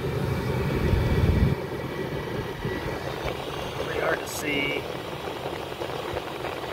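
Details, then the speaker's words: Cheap Chinese diesel heater on its first test run, powered from 110 V house power through a 12 V adapter, heard about five feet away: steady fan rush with a faint pump ticking a few times a second, running evenly and putting out strong heat. "all right well here's this thing running diesel cheap diesel chinese heater i'm probably five foot away from this thing right now and i'm gonna tell you right now it is cranking the heat out"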